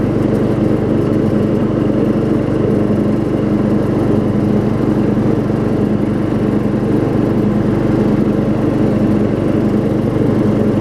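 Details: Circa-1994 Craftsman LT4000 riding mower, 12.5 hp Briggs, 38-inch deck refitted after welding, carb and brake adjusted, test run: loud steady drone at even speed with no surging or misses; running smoothly despite flywheel missing teeth.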